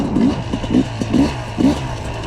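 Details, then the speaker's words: Brand-new 2022 Sherco 300 SE Factory two-stroke, carbureted, first trail ride: short rev blips with soft, burbly low end that won't crisp up; rider feels it running rich, others agree jetting is rich; slight bog noted. "definitely feeling a little bit rich here you know the circle guys dm me cody webb mentioned in the comment on instagram that it's definitely rich"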